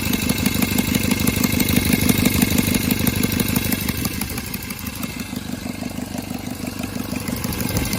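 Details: Cub Cadet 482 tractor, swapped 12.5 hp Briggs opposed twin with rebuilt carb, open exhaust: loud, even thumping, steady with only slight drift in speed, sounding like an old 4-cylinder Farmall; healthy running.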